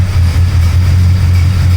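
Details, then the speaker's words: Pontiac with Oldsmobile 350 V8, warmed up 10–15 minutes at a steady 160°: deep, smooth, even idle with no knock or tick; motor quiet and running well, slight valvetrain noise only at higher rpm. "You can't hear a beat out of this motor. You hear the valve train a little bit at like a higher RPM, but you know what? This thing is quiet. It's running awesome."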